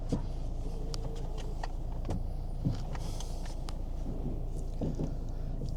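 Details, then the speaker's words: Kia Ceed, believed 2010, engine idling after replacing the worn steering column bush/cogwheel that caused a lumpy sound when turning: low even engine rumble, only a few light clicks, no rough grinding; steering smooth and quiet. "and smooth. Isn't that incredible that little cogwheel can cause that noise and not your steering wheel?"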